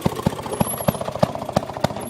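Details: Maytag Model 92 single-cylinder kick-start engine on a Maytag 90 washer, gasket leak resealed with RTV, fairly dirty carb: steady even putt-putt, about three to four pops a second; starts nicely and runs normally, slight black streak.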